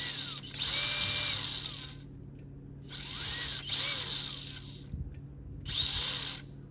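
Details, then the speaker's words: 1/24-scale RC crawler running the new Castle Sidewinder Nano ESC with an outrunner motor, not yet tunable: high motor whine in short surges with a shudder, giving a stuttering low-speed crawl, worse than other systems. "So you can hear there, we've got that old Outrunner whine still, and it's not looking good. Sort of the same kind of shake I was getting with the other systems, but way worse."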